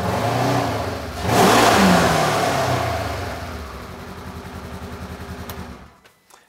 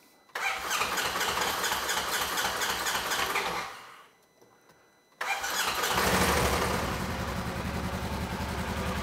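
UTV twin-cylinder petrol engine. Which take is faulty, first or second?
first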